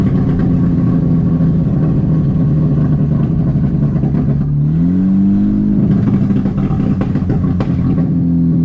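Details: VW GTI on test drive after misfire repair with aluminum intake manifold: engine pulls smoothly and revs cleanly through a shift, no misfires or transmission slipping; shifts a little aggressive.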